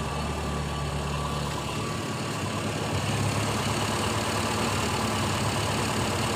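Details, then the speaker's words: 4-cylinder carbureted car running on gas fuel after reducer tuning: engine held high with strong even roar to about 6000 RPM, no stumble or misfire; healthy free revving. "bisa menjerit ya sampai sekitar 6000 RPM"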